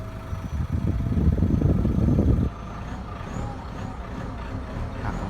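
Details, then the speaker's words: Ford Ranger T6 2.2L diesel after an ECU remap, first cold start of the morning: a strong throttle blip, then a steady, even idle with no tapping or knock; the morning start noise is now gone. "บิ้ลเครื่องยนต์ให้ดูนะครับคันเร่งจะไวขึ้นแล้วก็เสียงการเคกก็จะไม่มีนะครับนี่เพิ่งสตาร์ทเครื่องยนต์ตอนเช้าครั้งแรกเลยนะครับนี่ครับอาการเคกไม่มีได้ยินเสียงเลยนะครับหลังจากทำการรีแมปนะครับ"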